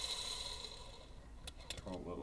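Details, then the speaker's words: New crank bearing just pressed in during a Suzuki RM250 two-stroke engine rebuild, spun by hand before assembly lube: dry rasping whir with a few ticks as it slows; a dry, unlubricated bearing. "once you add a little bit of Lube in there which this is down the road but you can just hear how dry it is it's just a dry bearing right now"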